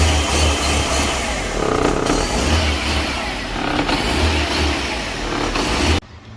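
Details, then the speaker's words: Fiat Grand Siena petrol engine idle hunting, rising and falling about every two seconds and revving by itself; on first start rpm shoots to 4,000 then drops and keeps oscillating; diagnosed with smoke test as large vacuum leak. "Ele está oscilando bastante e na primeira partida, quando você dá a partida, o RPM vai lá para 4.000 giros e depois desce e ele fica nessa arrumação. Ele fica oscilando bastante."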